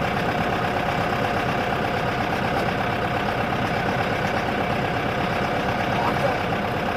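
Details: Boat engine bought for a 1967 Mustang fastback budget build: rough, busy idle with uneven knocking about three a second buried in the clatter; knocking bottom end, owner thinks it's junk.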